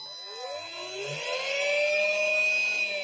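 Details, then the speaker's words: Mardave mini speedboat, powered by battery and ESC: the small electric motor whirs up and settles into a steady, clean high whine. It is running normally, though in reverse at first. "Albeit in reverse, so I'll turn that round. Anyway, she works, that's good."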